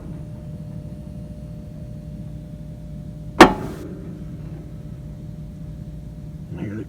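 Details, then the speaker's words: Six-door freezer that is down, heard with the panel off: faint steady electrical buzz with no pull-in clunk and one snap; 238 V at the contactor top and 0 V at the bottom; contactor coil hums but won't pull in. "you're humming but it's not pulled in let's see if we got a back contact you're here hello"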